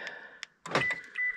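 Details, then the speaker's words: 2015 Toyota Corolla after iDatastart HC remote starter installation, testing locks: quick sharp clacks in separate bursts with short beeps, door lock actuators snapping cleanly; unlock and trunk release work. "yeah they work unlock Works trunk oh trunk opened"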